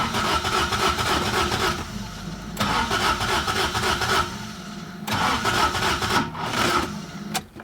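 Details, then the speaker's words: 1975 Toyota Corolla KE35 with a busted starter: repeated bursts of rapid cranking, about three to four turns a second, with pauses and no firing. It cranks but won't start; the owner wonders if it's flooding. Cause unconfirmed. "You see, it doesn't want to start, does it? God, that sounds so bad."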